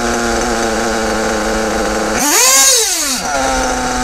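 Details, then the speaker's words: Kyosho Bug TT8 RB One nitro RC buggy, RB engine, after static mixture tuning: steady high idle, then a quick clean blip climbing and falling smoothly with no stumble. Normal revving, engine now picks up revs properly. "Donc là, on est arrivé à un moment où le moteur prend ses tours de toute façon tranche."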